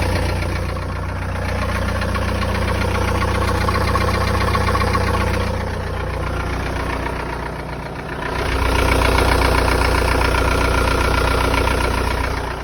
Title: 1.9 tdi 66kw 1z hot engine knocking